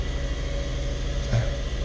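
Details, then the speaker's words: VW Jetta (sixth generation) after fixing a faulty temperature sensor that caused false overheating and hard cold starts: it starts right up into a steady, low, even idle with no knocks or misses. Normal idle, temperature gauge reading normally. "actually fix the problem starts up right up and also the temperature gauge see where it ends and move in so that's good guys we're doing good"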